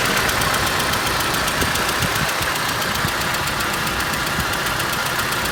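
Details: ZMZ 406 engine after timing kit and hydraulic lifter replacement: sharp, loosely regular knocking about three or four a second over a rough idle, comes and goes; cause unknown.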